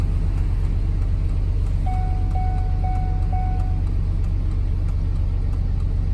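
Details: 2003 Chevrolet Suburban after replacing intermittent flasher module: even chimes about four a second over low idle rumble; turn signal flashing at normal steady rate.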